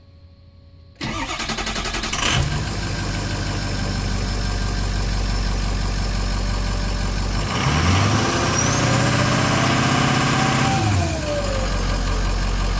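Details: Ford 6.0 Powerstroke after fitting a rebuilt tested FICM: starter cranks about a second, catches with a quick flare, settles into steady diesel idle; normal start with sync, FICM above 45 V, good injection pressure.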